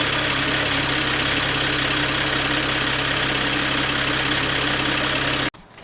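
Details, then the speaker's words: Toyota A90 Supra after new turbo install replacing one whose turbine wheel had play and ground: engine catches and runs steady with an even hum, no grinding or knock, before shutting off; normal running. "Okay. So, after 2 days, finally got good old Betsy running again. Had to put a new turbo in."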